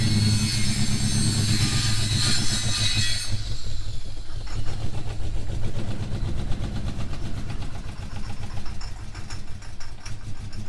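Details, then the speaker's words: V8 reversing up a driveway hill; the gearbox is fine. A deep rumble turns lumpy and labouring as it pulls uphill. The engine is struggling under load, which the owner attributes to the motor needing a better tune (plugs, timing). "Well, the gearbox is fine, but clearly we need to tune this motor a bit better."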